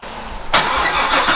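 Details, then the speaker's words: 2012 Corvette, stored over winter, freezing cold startup: brief cranking, then the engine catches sharply and settles into a strong, even fast idle; a clean cold start. "so this is actually a freezing cold startup i think we call them cold starts"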